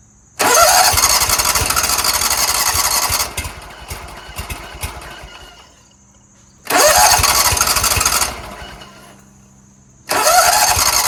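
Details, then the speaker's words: Scag Tiger Cub 48" zero-turn, on a jump starter with the seat switch held down: repeated cranking bursts that never catch, as if there were no spark. Hard starting traced to a disconnected choke flap linkage. "so I was looking over here check this out there's a loose linkage right here meaning nothing is going to this throttle linkage is sitting right here I have to figure out where that goes"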